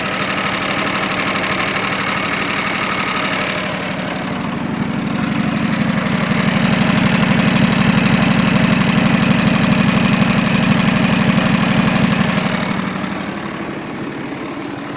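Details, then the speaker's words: John Deere 445 garden tractor with about 2500 hours, warm start on three-year-old gas, no exhaust smoke or oil burning; steady running that revs smoothly up and back with a light tick; transaxle quieter after topping up its low oil. "I added oil the transaxle really quieted down too because they just don't like being run low on oil"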